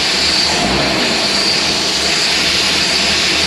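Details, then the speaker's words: Bedford QL truck at idle, Solex carb that idled well but would not pull away: loud steady hiss of air drawn in over a soft low engine beat, sucking at the carb joint, a vacuum leak. "yeah it's sucking where that meets that"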